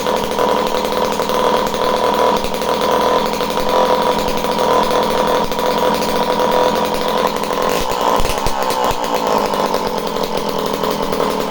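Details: Homelite C51 two-stroke chainsaw, previously reported non-running, with fresh fuel, carb needles at base factory settings and confirmed spark: steady crisp high-pitched buzz, no stumbling or surging; runs cleanly at speed, surprisingly.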